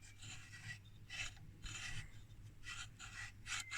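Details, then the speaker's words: Rohde & Schwarz SMAF BN41404 signal generator (1954, tube, heavily corroded) during teardown: uneven harsh metallic rasping as a shaft is turned, a part touching something it shouldn't; metal-on-metal scraping, judged broken beyond repair. "yeah and it feels like it is touching something it is not supposed to touch can you hear this this sounds like metal against metal so this is definitely broken"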